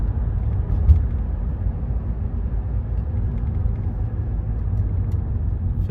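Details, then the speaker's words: 2015 Renault Megane 3/Fluence 1.5 dCi diesel braking, cruising and on throttle after the fuel return hose was replaced with a softer one: steady low rumble and no droning hum; the hose swap cured the noise. "gaz veriyorum hala ses yok bıraktım gazı Şimdi de ses yok yani yaptığımız işlem başarılı oldu hortumu değiştir bu ultu sorununu ortadan kaldırdı"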